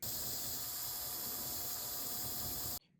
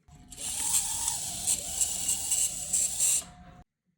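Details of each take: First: Restored Tyco Mantua Alco C430 HO-scale model diesel locomotive motor after synthetic oil fixed an earlier squeak: steady even hiss and faint whir, no squeak, then stops; smooth quiet running. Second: Tyco Mantua Alco C430 HO scale model diesel locomotive, torque motor; small motor whirs with thin piercing squeal from dry bearings before synthetic oil was applied, much quieter after oiling.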